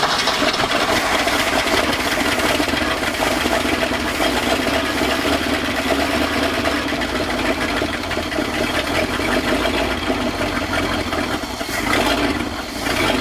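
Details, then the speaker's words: 1966 Ford F250 with 352 FE V8 parked since 1992, after carburettor rebuild, started from under the hood: catches and settles into a steady, even idle, no misses or knocks. "day two of really trying to get this thing going i pretty much just idled right out of the gate"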